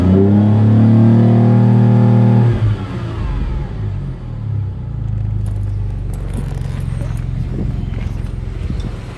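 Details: Ford ST220 with random misfire on banks 1, 2 and 3, down on power, won't rev past 5k stationary and worse under load: revs climb then fall back stumbling, never revving freely; misfire and restriction from a blocked rear catalytic converter.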